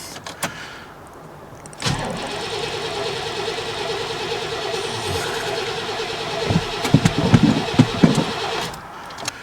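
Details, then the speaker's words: Chevy work truck with 154,000 miles that lost power, with throttle limited to about a tenth, on its third or fourth fuel pump: the fuel pump runs faintly and the starter cranks evenly but the engine never catches. Crank no start, no fuel delivery; the pump was later found not to be the cause. "you can just faintly hear the fuel pump run Maybe I'm hoping it'll start when you get it in the shop"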